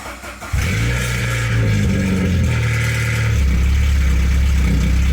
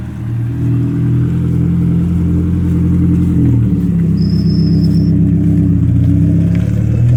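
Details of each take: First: 1992 Saab 900 naturally aspirated 2.1 after new welded exhaust with homemade threaded-rod hanger, no muffler yet: catches after brief crank into loud deep drone; light startup rattle from exhaust hanger still needing adjustment. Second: 1992 Saab 900 non-turbo 2.1 with a newly fabricated and welded exhaust replacing the old leaking one: steady, even engine drone with a gentle rev rise and no ticks or leaks; running smooth after a hanger rattle was fixed.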